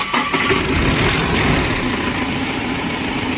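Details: Mahindra Max BS6 diesel pickup after a snapped alternator/fan belt drained the battery, with the water pump replaced (myTVS part) and a loose battery cable fixed. The diesel cranks briefly, catches and settles to a steady even idle, no knocks or belt squeal. Normal start and idle after repair.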